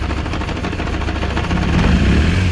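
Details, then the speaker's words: Kawasaki GPX 600R motorcycle after sitting, carbs not yet rebuilt, warming up with choke: ragged idle farting and popping, not firing consistently on all four, some surging, seemingly running on one or two cylinders; misfire and rough idle. "you can hear it farting and popping a bit definitely not consistent on all four we have a bit of surging"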